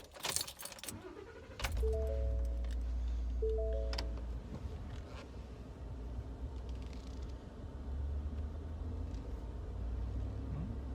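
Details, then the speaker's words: 2015 Ford F150 after fixing a low-rpm, slow-speed exhaust heat shield rattle with a new stainless clamp: starts and drives off with a steady low rumble, no metallic rattle underneath. "All right, that rattle is gone. I don't hear it anymore. That is awesome."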